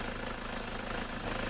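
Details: Idling engine with AC on: pulsing rattle and high whine that stops when AC is turned off; AC not cooling well, compressor pulley shaking and wobbling, noise returned 2–3 months after earlier part replacements.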